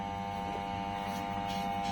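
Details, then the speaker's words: Toyosaki voltage stabilizer with faulty output (measured 37 V AC, owner reports output surging high) gives a steady fixed-pitch electrical buzz, loud transformer hum; stabilizer not working as it should. "nah terus ada suara dengung [Tepuk tangan] Nah mungkin yang dimaksud teman saya itu seperti itu ada suara aneh jadi si stabilizer ini nampaknya tidak berfungsi sebagaimana mestinya ya"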